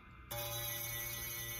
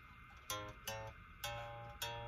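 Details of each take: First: Les Paul bass, A string fretted at 13th fret: plucked note rings with faint thin fizz, back buzz between fretted note and nut from low nut slot; lessened by paper shim, nut fill planned. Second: Les Paul bass, A string, after about a quarter-turn truss rod loosening to add relief; plucked notes ring clean with no back buzz, though action is now higher.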